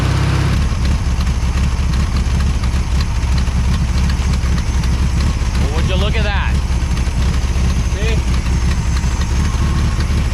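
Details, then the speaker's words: 1973 VW Super Beetle, previously hesitating and dying, after finding fuel pump fine and fuel filter at fault: low, even, steady idle chug with no misses or knocks, still slightly cold; normal idle. "well all be a monkeyy uncle that thing's pumping it out really good once it's actually running so I guess I can conclude nothing more than it's actually the fuel pump is fine it's just that fuel filter"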